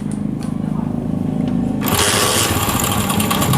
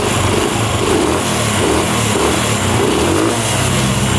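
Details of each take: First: Honda CD70 Euro2, cold start after standing overnight, magneto side cover off: even idle, then a harsh metallic clatter; timing chain rattle that fades after a few revs once oil circulates. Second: Honda CD70 Euro2 single-cylinder, after oiling the cam chain tensioner rod to cure cold-start noise: steady, even idle with no chain slap or whine; engine sounds healthy.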